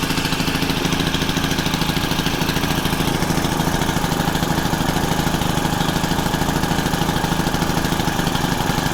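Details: Honda FG110 with GX25 engine, idle raised high during carb tuning to warm it: steady fast idle firing evenly about three times a second, no surging or bogging; running normally.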